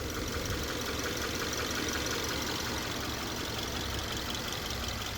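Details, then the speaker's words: 2013 Subaru Crosstrek petrol engine idling after oil change: steady even idle with soft low rumble and light hiss, no engine rattle or pulley bearing noise; normal. "This sounds pretty good for that age, doesn't it? 2013. No engine rattle. No bearing noise on the pulleys."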